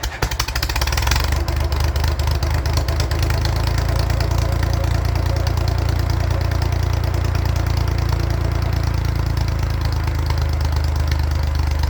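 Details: 1942 Oliver OC4 crawler four-cylinder: catches after brief crank, settles into steady slightly lumpy low idle, running evenly; normal.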